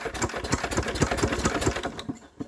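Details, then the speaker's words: Enfield diesel engine with suspected excessive compression or hydro lock; cranked as fast as possible before release. A few slow, uneven thumps stall abruptly and fall silent: cranking no-start, engine stops dead on compression. "Oh, that's still stopping dead. That is really bizarre. I mean, I'm going as fast as I can with it before I release it."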